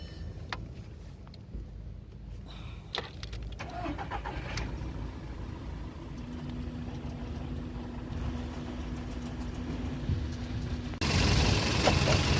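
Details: VW Polo Vivo 1.4 CLP engine after replacing the heat-damaged PCV valve pipe and the number 1 coil pack to cure random/multiple cylinder misfire. Start, then fairly steady low idle with no obvious stumble: normal idle.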